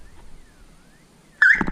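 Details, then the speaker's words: 1979 Chevrolet C3 Corvette, aftermarket Avital alarm horn from the engine bay fed 12 volts by a power probe (owner thinks it was meant for lower voltage): sudden piercing siren blast at full volume; alarm siren working. "oh that is loud holy man I only pressed it for a split second about blew my eardrums out"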